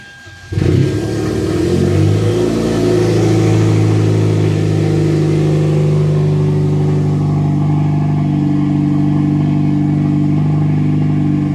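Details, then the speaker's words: Hyundai/Genesis after repairing a P0299 underboost fault from stripped wastegate actuator gears, codes cleared: starter catches within a second, brief flare, then an even steady idle with no knocks or ticks; normal start before warm-up. "Let's go ahead, crank up, get it running. Let's warm it up and we'll go for a test drive."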